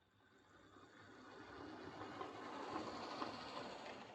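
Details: Model locomotive Phoenix given another run round the layout: smooth, even whir building steadily with no stutter or dropouts, pickup and motor sounding healthy; normal running.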